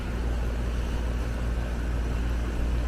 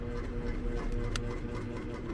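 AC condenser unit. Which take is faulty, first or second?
second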